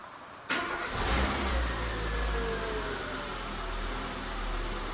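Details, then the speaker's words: Peugeot 207 Sportium 1.4, first start after timing belt and water pump replacement on salvage car: short crank, catches at once and settles into a steady, even idle with no misses; normal start. "Just fires straight up. Look at that. Lovely. Running lovely."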